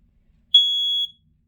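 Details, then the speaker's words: Loud shrill single-pitch beeps, each about half a second, repeating roughly once a second. A smoke alarm on test keeps beeping continuously, about 16 rounds, before it stops and its light turns off; this is normal test beeping. "This is the only thing that keeps me so flippin' annoyed because literally, like, it just continuously beeps."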